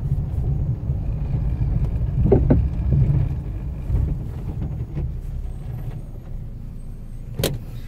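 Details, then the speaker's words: Fiat Strada Adventure before its suspension overhaul, driving on the road: hollow clunks at uneven intervals over low road rumble. Front suspension clunk. "impressionante, né? Impressionante esse barulho."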